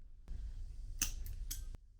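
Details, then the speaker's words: Small Tesla drive unit in a custom EV conversion, inverter pre-charged through a resistor: start button pressed, a sharp clack as the main contactor closes, a low hum, then lighter clicks as the pre-charge relay opens. Normal switching. "And when we hit the start button, it should close, assuming it is pre-charged, it should close the main contactor."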